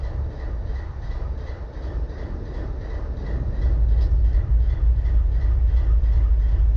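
Deep locomotive idle rumble with a regular uneven thump about three times a second, one cylinder dropping out; it's missing at idle.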